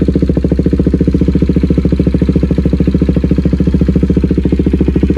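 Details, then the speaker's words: KTM Duke 390 at idle: sharp puffing tick about 3.5 times a second from a loose exhaust joint leaking at the bottom, before the joint was welded. "बस वही हवा जो leak हो रही है ना उसको बस वेल्ड करवाना है।"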